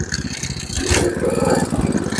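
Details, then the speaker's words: MTD Snowflight 2-stage snowblower with Tecumseh 8 hp Snow-King engine, not yet warm, running on choke after carburetor cleaning with carb cleaner to clear old fuel; steady slightly uneven putter, revving a little, running fine. "How about that? We didn't need the ultrasonic, just a little bit of carb clean and she's good."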